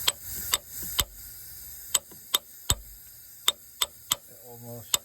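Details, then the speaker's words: VW Crafter 2.5, valve stem seals changed without removing the head: very light taps on the seal tool give a sharp metallic ring rather than a dull 'doof', showing the seal is fully seated. "It just rings a little bit when you hear like a metal to metal sound, as opposed to a doof, which is the other noise."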